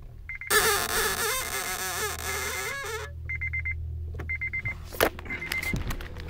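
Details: Acura RSX-S clutch slowly released: rapid high chirping squeak in bursts over low engine rumble, very loud and annoying on engagement.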